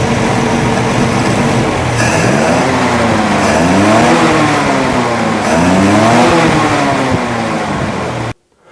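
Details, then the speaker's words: Jeepster Commando after Rochester carburetor rebuild: fires quickly, pulls smoothly through quick blips and settles evenly with no misses or knocks; runs well, though fuel leaks from the carb top, float suspected not shutting off. "I fired up pretty quick and it sounds like it's running really, really good."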